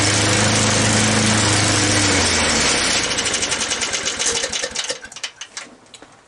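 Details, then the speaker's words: 1983 Snapper mower after tune-up and throttle linkage setup: runs at steady speed, then firing slows into uneven separate pops and sags; engine still hangs up rather than holding throttle. "like it still gets hung up there hmm"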